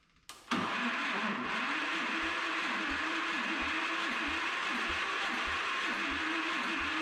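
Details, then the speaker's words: Old single-cylinder engine with a breakerless ignition and a compression release below 600 rpm, fired briefly. A dull knock repeats about every half second over the running engine because the ignition pickup strikes the flywheel in one spot. "So, that was pretty much all I got out of it, but it sounds like it has a knock. And just digging in here, so this breakerless ignition has a pickup on the flywheel, and it's hitting the flywheel in one spot."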